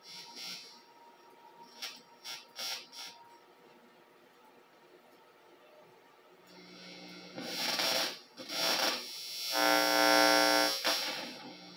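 Touching the signal lead gives loud buzzing bursts whose tone shifts as the knobs are turned, so the volume and tone controls work.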